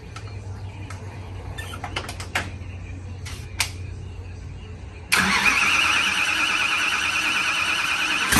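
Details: Supercharged Mopar drag car "Blown Fish" after fitting new set of heads following head damage: quiet clicking, then catches with loud harsh high-pitched blower roar holding steady; fires and runs cleanly — normal running.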